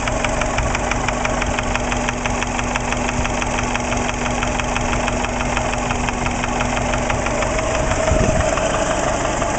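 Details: Subaru Impreza EJ20 flat-four idling at 30 psi oil pressure: a light, steady knock of about three taps a second, loudest at the top of the passenger-side head above cylinder one; it comes and goes, the oil showed no metal, and the cause is unknown.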